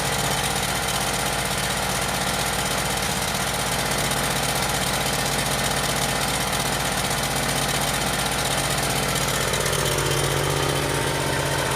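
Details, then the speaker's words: Yamaha EF12000DE generator, Robin twin, after electrical repair with fresh fuel and auto choke, smoking: loud rough idle with uneven lumpy beat; seems to be running on only one cylinder. "run a one cylinder right now it seems like"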